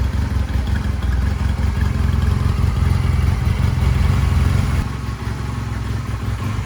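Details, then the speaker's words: 1999 Honda Rebel 250 twin: deep, even exhaust beat picks up with revs and settles without misses or clatter; sounds really good, normal. "A free motorcycle that runs and it sounds really good."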